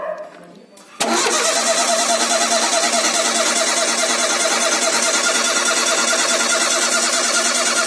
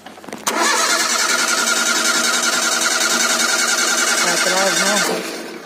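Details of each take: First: Ford Zetec Rocam engine (Fiesta/Ka/EcoSport) with a startup noise resembling the hydraulic tensioner: first start after cleaning dirt from an oil orifice. It catches at once and settles into an even, steady idle with no knocks or rattles; it starts and runs properly. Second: Ford Zetec Rocam engine (Fiesta, Ka, EcoSport) at cold start. It catches, then a quick rattling tick of about three per second sits over the idle. Suspected hydraulic tensioner/valvetrain noise; dirt was found in an oil orifice.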